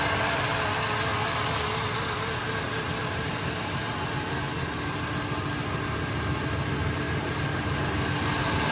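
Engine idling with a slightly uneven, stumbling beat about three or four pulses a second; a rough idle pointing to a misfire. Cause suspected, not confirmed.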